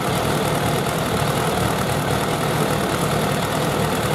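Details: Suzuki Bandit 1200 with four carburetors, before synchronization: the idle is okay but not good, and the imbalance can be heard while running.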